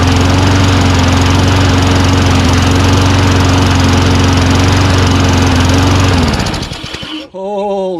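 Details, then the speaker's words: Toro Recycler Personal Pace push mower built from two junk units, first run on pull start: steady low lazy drone then winds down; speed about 2,800 rpm versus 3,200 expected, governor bar to adjust. Engine speed too low. "RPM seems a little low, wouldn't you say? A smidgen? I think it's like 2,800. It should be like 3,200."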